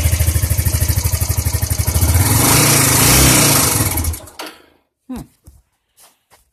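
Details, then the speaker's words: Suzuki GZ250 after a carburetor clean and rebuild, choke fully on, valves quieter than before: single thumps about three a second, picks up briefly then fades and stalls. Poor revving, sluggish response, likely fuelling. "Revved a little bit there, but"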